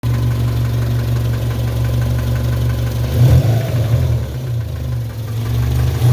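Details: 1997 Subaru Impreza EJ22 flat-four idling: steady light knock over low hum, brief rev blip midway; timing belt tensioner checked and ruled out, oil adequate, owner unsure if rod knock, piston slap, or faulty spark plug — engine knock, cause unknown.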